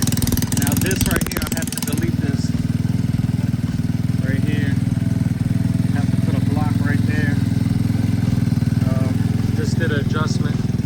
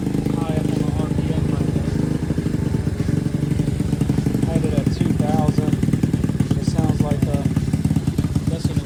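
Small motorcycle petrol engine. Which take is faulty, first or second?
second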